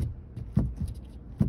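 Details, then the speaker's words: 2022 Ford Maverick interior after dealer side-curtain-airbag recall work: a loose trim panel gives sharp, hollow plastic pops with creaks when pressed. Owner suspects incorrect reassembly. "the one other thing I don't know why this is this is popping like"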